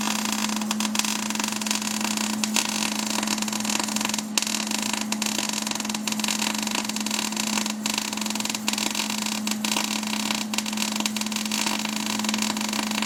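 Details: MIG welder set for about 22 gauge sheet while welding 1/4 in plate: uneven, spitting crackle with scattered pops instead of a steady sizzle; wire feed speed too low to give enough amperage to penetrate the weld.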